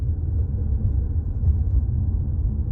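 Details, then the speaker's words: 2018 Jeep Compass driven over bumps after replacing the front sway bar links: a steady low road rumble with no clunks or rattles. The earlier clunking noise is gone and the suspension is quiet. "Little clunking noise is now gone. Going to hang my U-turn here. Let's see. All right. Quiet as a mouse."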